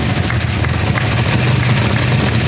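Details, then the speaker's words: Toyota Supra's mystery 2JZ engine after fitting new pushrods and roller rockers: deep, even, lumpy idle with steady low rumble and no top-end tapping or clatter; valvetrain sounds healthy. "that's good that's real good this thing sounds so freaking cool dude sounds good sounds good good job brian"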